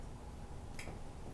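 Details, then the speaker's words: Honeywell 4-wire baseboard-heat thermostat turned all the way up: one sharp click as the second 120 V leg switches in, giving the 240 V the heater needs, and it starts heating. A normal thermostat click. "Of course, the heater won't turn on. It needs 240 volts. So you have to turn this all the way up till you hear it"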